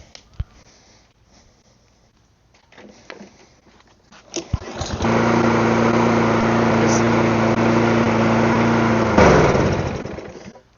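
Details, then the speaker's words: Mower left outside, after carburetor cleaning, catches after a few pulls and holds a buzzy drone but runs rough; owner wonders if it's a spring, later thinks oil is a little low; cause unclear. "One of the things I could do is, like, it's running, it's just not running good. Curious to know if it's that spring."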